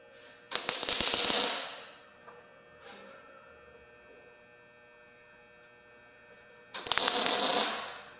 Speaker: do you hear that one that one sounds solid right keep going